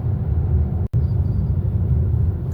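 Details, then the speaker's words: Car limited in power, couldn't accelerate past 100 km/h, engine warning light on: deep, lumpy, unevenly pulsing engine rumble, sluggish under load; fault codes later showed low engine oil pressure and oil pressure sensor range/performance. "출력 제한되었고 가속 안 되고 소리도 부릉부릉이 아니고 부그릉 무그릉 그릉 그릉 이런 소리가 나니 천천히 들어가야 봐야겠어요."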